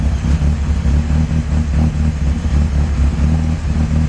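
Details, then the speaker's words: 1959 Alfa Romeo Giulietta, cold engine on part choke after backing out the carb idle air-fuel mixture screw; low, lumpy, hunting idle; owner suspects too little fuel in the idle circuit; unsteady idle. "Yeah, we get the choke just in the right spot. It'll kind of idle."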